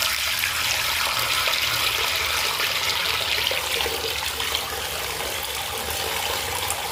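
A steady, loud hissing rush of water through the tap with no rhythm or knock; the faucet is noisy, cause unclear.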